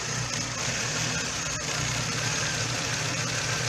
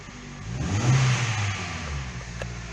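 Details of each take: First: Hyundai i30 1.6 16v with 140,000 km, plugs black as if running rich: a shaky, stumbling, jerking idle that usually stalls soon after starting; the timing chain tensioner failed and the chain jumped. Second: Hyundai i30 1.6 16v, 140,000 km, after a faulty timing chain tensioner caused a jumped chain and the engine was reassembled: clean rev blip rising and falling smoothly, no rattle or slap at the front; runs very nicely.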